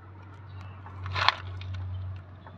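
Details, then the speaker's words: Toyota Corolla "big body" with the wheel removed, suspension bushing rocked by hand: a sharp clunk and brief rattle; the bushing is worn and needs replacing, and the car pulled at the steering wheel when accelerating. "Ayun oh mapapansin niyo ba at maririnig niyo ba yung tunog niya na lumalagutok lagutok"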